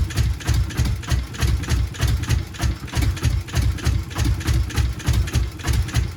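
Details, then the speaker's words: Subaru GC8 with EJ207 STi shortblock, first start after injector install: heavy, lumpy idle with slow dum-dum pulse about 100 a minute; one bank never fires, engine running on one bank. "Hear that dum dum dum? It wants to go. So I've lifted the manifold up here because, so this side, what I did was I pulled out the plugs. This side has never fired whatsoever."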